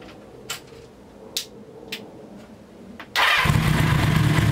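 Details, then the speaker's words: 1982 Kawasaki 750 LTD motorcycle after engine seal replacement in the transmission cover and clearing an oil air pocket. Light clicks, then it catches at once and settles into a steady, even idle with no knocks or misses. Normal idle. "the seals are in place nothing is leaking everything is working fine so let's start it up so you can at least hear what it sounds like"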